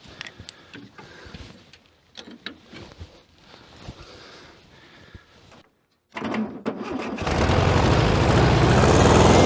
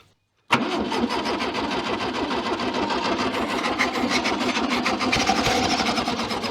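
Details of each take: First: 1966 VW Beetle, unstarted for over 10 years, after reconnecting an unplugged lead: cranks, fires and settles into strong even flat-four beat; running cleanly. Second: 1966 VW Beetle not run in over ten years. Starter cranks steadily with ragged, uneven firing trying to catch, on a weak spark and stale fuel mixed with two-stroke oil.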